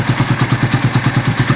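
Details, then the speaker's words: Motorcycle in the garage at idle, with an even pulse of about eight per second and a faint thin whistle on top. The owner suspects a worn coolant pump oil seal separating oil and coolant; the seal and gaskets are ordered for replacement. Unconfirmed. "Ganito yung tunog lang sinasabi ko na pwedeng may tama na yung oil seal na ito. Kasi may oil seal din dito para hindi maghalo yung langis tsaka yung coolant."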